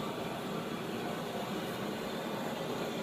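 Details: 1917 Blackstone 9 hp hot-bulb vaporizing oil engine run on household heating oil, before a hand start: a modern gas blowlamp heats the bulb vaporizer with a steady, even roaring hiss and no rhythm. Normal pre-start heating, which takes a few minutes.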